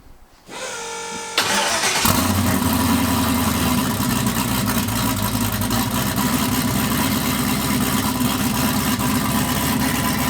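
Engine cranks briefly, catches and settles into a steady, loud, even idle with a firm rumble; rebuilt motor running properly.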